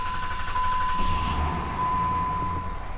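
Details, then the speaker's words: Salvaged Dodge Cummins diesel, first start after injector replacement (number six cylinder acting up) and fuel pump work, codes cleared: even clatter at steady idle, about four beats a second, no misses, good oil pressure, a little smoke puffed out; healthy. "good oil pressure good idol god lee listen to that baby purr oh yeah she puffed out a little smoky smoke Oh God Lee that's a good sound"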